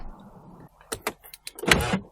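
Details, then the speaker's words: Jaguar XF after key fob battery replacement: quick crisp double clunk of the door lock actuators releasing; central locking unlocks normally with the fob. "So it certainly unlocks the door."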